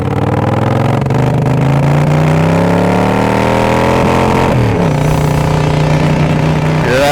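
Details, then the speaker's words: 1979 Honda CX500 V-twin, formerly seized engine, on its first slow test ride: revs rise and drop with a stumbling, uneven beat; a cylinder seems to be cutting in and out, cause not confirmed. "Cinder cutting in and out well I think this bike is kind of worth some more effort"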